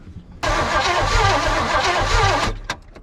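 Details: 1978 Oldsmobile 98 found buried in woods, rebuilt carb, new fuel line, first start attempt after pumping fuel: steady cranking about four beats a second for two seconds, no firing; possibly no spark or bad fuel suspected; crank no start.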